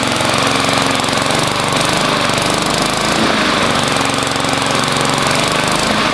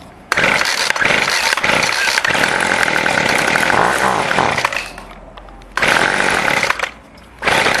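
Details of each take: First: Lawnmower single-cylinder engine with a new 22-inch blade and no idle adjustment screw at the throttle: ticks over slow and a bit lumpy but steady. Idle speed is too low. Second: Two-stroke weed eater after its carburetor was adjusted: crisp, clean revs in repeated bursts that pick up and drop back cleanly between throttle blips; running well.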